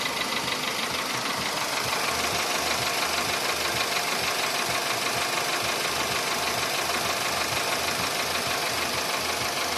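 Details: VW Polo Sedan engine knock at idle: sharp, regular metallic tapping about two per second over the engine note; appeared faintly around 61–62 thousand km and grew sharply louder by 67 thousand km; origin unknown.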